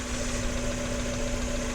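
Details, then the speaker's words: Mazda Miata MX-5 at idle with the hood open: smooth, even idle with a steady low drone, no lifter tick, knocking or exhaust smoke; healthy engine. "yeah make sure this is last yeah it seems latched so i mean just no smoke out this exhaust runs good this car sounds absolute joy to drive"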